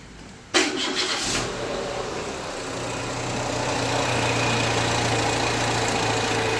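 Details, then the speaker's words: Renault Kangoo petrol with a timing chain, 27,000 km, sometimes fails to start. It cranks, catches and idles with an uneven, lumpy misfire and the engine shakes. Owner doubts a vacuum leak; a light decarbonization was tried just before. "but this engine like even with the timing chain that it runs like really runs bad okay so I don't believe it's got a vacuum leak"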